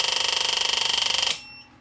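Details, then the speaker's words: Electric fuel pump on a Meyers Manx VW dune buggy dash build, switched on by pull control: fast, even ticking buzz about eighteen pulses a second for just over a second before cutting off. Pump priming and working normally. "And now we're gonna need a fuel pump, and like I said, I'm gonna have it hooked up over here. So you just pull on this once or twice, and my fuel pump's"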